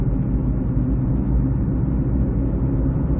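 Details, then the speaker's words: 2006 Ford Escape Hybrid, front humming while driving after three days parked outside, recently aligned: steady low hum slowing with the vehicle, unchanged by braking, changes when steering; owner suspects bad wheel bearing. "really not going away it's still there just you slow down you hear the humming slow down"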